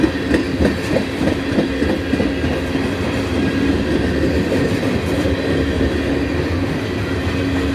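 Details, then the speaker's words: Freight train passing at Abbeville: a rough, steady growl and low drone from the wheels instead of a smooth rail hum. The rail growl comes from grooves left by rail grinding. "If you hear how noisy the wheels are, that's cuz they grind these rails down. That leaves little grooves in. That's why the rails ain't huming. They're growling."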